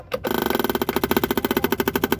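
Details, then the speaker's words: Suzuki Carry 1.0 electric fuel pump (rotak) feeding the carburetor: rapid, even clicking about thirteen per second, no grinding; loud while the carburetor is empty, slowing or pausing once full; normal fuel pump ticking. "ketika kita kurator kosong dia akan berbunyi keras Batur tapi ketika sudah penuh di karburator maka dia akan berhenti ataupun kadang bunyinya pelan ada jedanya"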